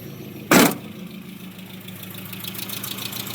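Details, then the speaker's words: 1986 Mazda B2000 SE-5, carbureted with mechanical fuel pump, worn engine, cold start after sitting unused a long time: sharp clatter then low, quiet, even idle holding steady without stumbling, little smoke; normal idle. "of course it still fires up will it idle it sure will"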